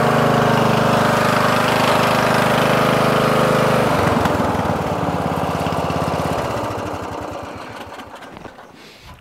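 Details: Murray 14.5hp 42-inch lawn tractor, Briggs & Stratton single-cylinder OHV, after fixing a bad ground at the ignition switch. Pulls steady and even, fades as the tractor drives away, then shuts off cleanly; normal running.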